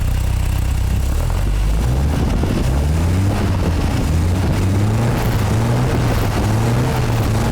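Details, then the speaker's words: MGA 1600 roadster idling on a newly fitted cheap exhaust: low, steady, smooth burble with an even beat, no knocks or bad noises, only a slight exhaust rattle; timing slightly retarded and needs advancing. "Sounds just like it should. Timing's a little slow. Need to bump the timing up yeah."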